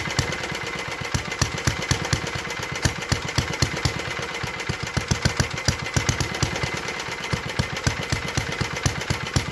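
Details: 1952 Clinton VS-700 single-cylinder push mower engine, revived after cleaning points, carburetor and a clogged fuel line, wheels and handle fitted; fast even popping rhythm holding steady without misses, healthy running at idle after tuning down.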